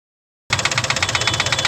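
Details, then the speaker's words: Three-cylinder CNG engine at idle: sharp metallic tapping about eleven per second. Knock caused by broken spark plug debris in cylinder three striking the piston and head, which are marked. "वापस तीन number cylinder पे कचरा बचरा कुछ है उसका plug का गया है इसमें प्लग निकलवाया था इन्होने तो उसका कचरा गया था य निशान हैय पूरे उस पर जाकर लगा है इसकी वजह से इसमें टक टक की आवाज बन रही थी"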